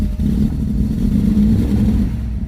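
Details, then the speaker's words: Cold start of a V8 with fuel injection, still learning its idle: deep steady idle with no whistle, unlike the 1974 Ford F250 High Boy with Sniper EFI problem; normal cold idle. "And that's a cold start, so see, I don't hear the whistling like I did on the other one."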